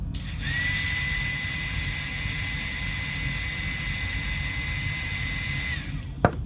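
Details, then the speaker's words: 2006 Ford C-Max electric parking brake unit, new replacement motor run on the bench without gears: steady, smooth high whir about five seconds with no grinding; turns far better and draws much less current than the old motor. "this is a new motor slightly different but basically the same order and as you can hear it on C it turns a lot better there pulls a lot less current"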